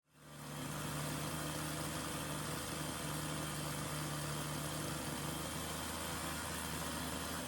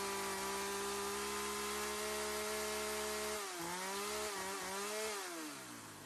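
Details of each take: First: Sachs-Dolmar 100 chainsaw: two-stroke holds a steady, too-fast idle that cannot be tuned down even after a carb rebuild, then cuts off. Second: Sachs-Dolmar 100 two-stroke chainsaw, which would not idle even after a carb rebuild (air leak suspected): a steady high buzz, then the revs drop, wobble and settle. After tuning it holds a clean, normal idle.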